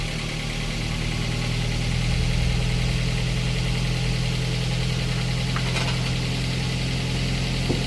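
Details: Daihatsu Gran Max 1.3 after engine overhaul for lost compression (cylinders 2 and 3 at zero, hard starting): engine catches and settles into a steady, even idle with smooth low hum, no knocks or misses. Normal idle.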